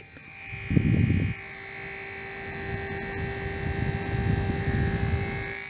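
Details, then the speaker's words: Commodore CDTV cooling fan, cleaned and bench-tested out of the machine: steady whirring hum with rough chugging undertone like a little tractor, far too loud; worn noisy fan, replaced with a new quieter one. "It was quite noisy when it was in the machine, but I'm not sure about it now. Let's hear. Oh yeah, it's quite noisy."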